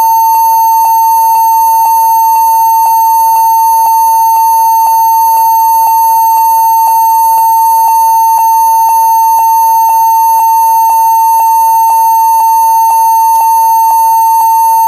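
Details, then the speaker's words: HP 14s-cf2 laptop at power-on: a steady high beep pulsing about twice a second, repeating many times, though it still boots into Windows. The stated solution is BIOS in UEFI boot mode with a GPT-partitioned drive. "jadi di sini ada sebuah laptop kemudian dia laptopnya berbunyi BIP BIP BIP BIP itu e banyak sekali banyak berkali-kali"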